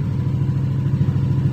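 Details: Yamaha NMAX 155 (2021) scooter that would not start because of a blown 7.5 A fuse. After the fuse fix it starts and ticks over with a steady, even low putter and no knocks or misses. A healthy normal idle.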